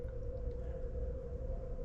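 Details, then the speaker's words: Central air conditioner whose outdoor unit would not run, thermostat bypassed by jumping 24 V to the yellow cooling wire; steady low hum comes on and holds evenly as the unit kicks on, faulty thermostat found: normal start. "we're going to jump to 24 volts to the yellow wire assimilate the thermostat making that switch and I can hear it it kicked on"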